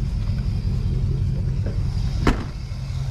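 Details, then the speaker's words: 1969 Lincoln Continental with Ford 460 V8, low oil pressure light on: steady, even idle rumble with no lifter ticking or clatter; water pump pulley noise audible; fault later found to be a bad oil pressure switch. "now you do hear the water pump pulley making noise but other than that it seems like it's okay"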